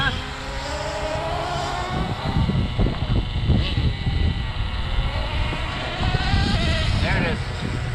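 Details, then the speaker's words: HPI RS4 Super Nitro RC car running low on fuel: small nitro engine screams up and holds too long before dropping into second gear, so the shift comes late. "That's still kind of late, I think, huh?"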